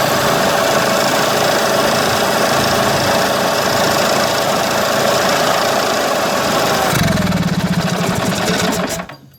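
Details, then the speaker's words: Onan 4 kW carbureted gasoline motorhome generator, mixture screw closed too far: the run slows and stumbles into uneven chugs, then stalls from a lean mixture; the screw had probably been closed too tight, possibly with junk around it. "as you can see if i close it too much it'll stall the engine and sometimes it sometimes you have to move that thing around"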